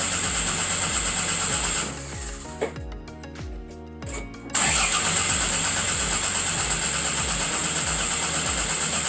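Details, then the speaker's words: Car engine cranks at a steady rhythm of about three turns a second but never catches, sounds like it wants to start; owner suspects something missed in the engine bay, with vacuum line issues to follow. Crank no start. "It cranks over, guys. Literally cranks over. It sounds like it wants to start."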